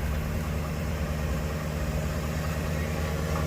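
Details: 2013 GMC Sierra V8 after oil change to Pennzoil Ultra Platinum and new power steering lines: low, steady idle with even smooth rumble, no ticks or knocks; sounds healthy and quieter.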